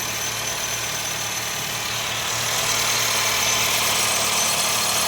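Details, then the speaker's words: 2014 Honda City i-VTEC CVT in park, AC off, engine cold with the blue cold indicator on: thin steady high whistle over hissy idle from the engine bay, largely gone once warm but still intermittent; owner suspects the alternator, unconfirmed. "there's a whistling noise coming from inside the engine bay not sure if it's from the AC or if it's from the engine itself"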